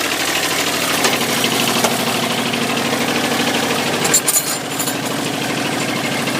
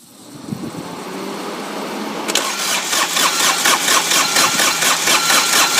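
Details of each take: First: Dixie Chopper XWD 2600 diesel mower, about 1,700 hours, restarted after running out of fuel and bleeding the injector lines: steady, even diesel clatter at idle with brief handling noises; normal idle. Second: Dixie Chopper mower diesel that ran out of fuel, cranked with the injector lines loosened to bleed them. The starter churns evenly at about two beats a second with no firing. It cranks but will not start because of air in the fuel lines.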